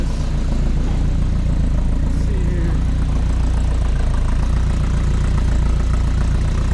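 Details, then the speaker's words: Dodge D50 pickup (G63B engine) at first startup, with the fan running: deep, loud, raspy chuffing at a steady idle suggests an exhaust leak of unknown location. A vacuum leak is also noted. Loud exhaust note at idle. "got it fired up and sounds all right a little exhaust leak it sounds like it's hard to tell with the fan like that"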